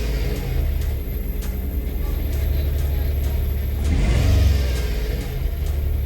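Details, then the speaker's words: 2011 Nissan Teana at first start after engine work, check and battery lights on: deep, loud booming drone rising and falling with revs. Muffler not fully connected, so it sounds extra low: exhaust leak. "okay, so the muffler isn't fully connected now, so that's why it sounds extra low."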